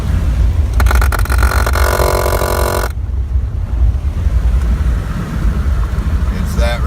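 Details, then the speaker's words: 1996 Oldsmobile Bravada with SmartTrac all-wheel drive at about 55–60 mph makes a harsh rasping grind for about two seconds when braking or lifting off the gas. It seems to come from under the floor near the shifter; fluids are fine and there are no shavings in the transfer case. "as you can see we're up to about the sixties and this is a grinding sound"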